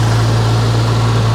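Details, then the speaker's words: 1993 Geo Tracker after fuel injector rebuild, timing not yet set: steady even idle without knocks or misses, sounds much better but sits a little high; a weird sound suspected from the alternator. "so much better so much better I still have to do the timing okay so we still have to work on the timing the car has to be warm for that"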